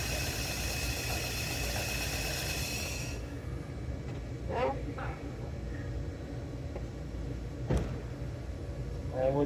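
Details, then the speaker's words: 2002 Toyota Echo with a bad ignition coil fitted: engine runs with a steady rumble about three seconds, then cuts out abruptly; starts then stalls, and a short inside the misfiring coil is suspected, not confirmed. "so with that the coil that was causing a misfire onto the vehicle the vehicle actually stalls out so that means that there's probably a short inside of the coil and it's causing everything to go Haywire"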